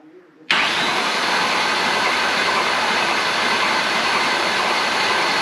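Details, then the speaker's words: Engine spun on the starter after new timing chain tensioner fitted; steady even whirring hiss with no rattle or knock, as air worked out of the tensioner and chain tension increased. "a new timing belt or timing chain tensioner will have air in it and it'll takes a little bit of cycling to get it through and um so after enough time um it applied more tension on the Chain as the air got worked out of it so should be good"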